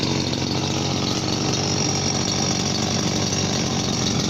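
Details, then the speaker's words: Chinese RBC411 two-stroke brush cutter, about 8 years old, fuel mixed at correct ratio: steady high buzzy idle with a faint fan whir; engine still healthy, gear head whines when revved. "นี่รอบเดินเบานะก็มีเสียงพัดดังนิดๆแต่ไม่มากครับก็"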